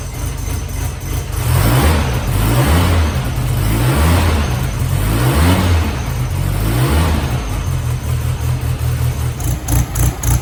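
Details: Freshly built air-cooled flat-four in a 1972 VW Bug, first start in neutral: catches and pulls through throttle blips with busy even chatter, no knocks or rattles; engine healthy.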